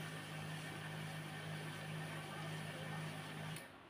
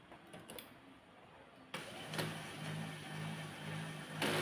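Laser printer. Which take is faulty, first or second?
second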